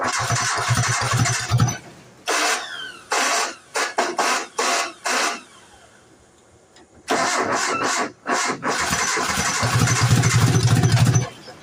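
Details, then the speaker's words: 1990 Nissan D21 4-cylinder 5-speed 4x4: repeated cranking with a few weak catches that never settle into idle; it gets fuel and spark, no known vacuum leaks, owner suspects ignition timing is out; cranks but won't start. ">> Out of time. It's out of time. It's got to be out of time."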